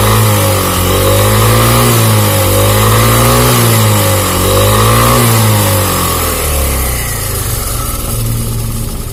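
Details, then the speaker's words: Italian 250cc automatic scooter revved up and down after being restarted: a dry metallic "krek-krek" rattle rides on the engine note, identified as cam chain noise. Charging reads about 14 V, normal. "Nah itu MP3 suara rantai keteng bahwa krek-krek gitu"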